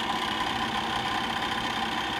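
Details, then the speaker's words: 2010 Bryant gas furnace, heard inside the furnace with the front cover off: steady motor hum with rapid even clicking like a card in bicycle spokes, echoing through vents and exhaust; owner suspects inducer motor bearings or fan assembly, unconfirmed. "hard to say if that sounds coming from the motor or the fan assembly itself almost sounds like it's coming from the motor yeah it sounds like it's coming from the actual motor maybe the ball bearings or something like that"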